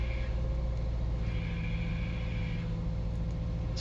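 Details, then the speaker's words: 2016 Subaru Forester, ~40k miles, idling in neutral: thin high whine comes and goes as the clutch pedal is pressed slowly, a bad throwout bearing; quieter with clutch fully in. "when i press the clutch down slowly that high winding sound is the throw out bearing"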